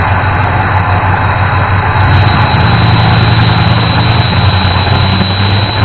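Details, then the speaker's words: 1988 Ford F-150 after distributor reinstalled and ignition module replaced: steady, even low rumble at idle with no stumble or skipped beats; the earlier miss appears fixed. Normal idle. "we did get it fired up a little bit ago after we got the distributor dropped in which you saw in the video and it doesn't sound like it's missing anymore"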